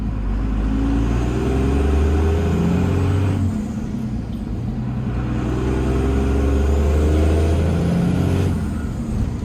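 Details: Cummins diesel truck during exhaust-brake work, played as a before/after comparison: revs up and settles twice with a deep exhaust drone. Turbo spool sounds dull and muffled, only a faint rising whistle rather than a full blow-off sound. Cause not confirmed.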